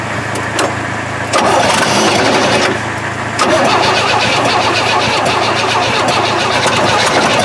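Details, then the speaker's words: 1968 Chevy truck not run in 15 years, after cleaning the points and feeding gas: cranks a moment, catches and settles into a steady, even running note; runs, massive exhaust leak noted. "now look at this boys and girls she's a runner she's a runner she's a track star"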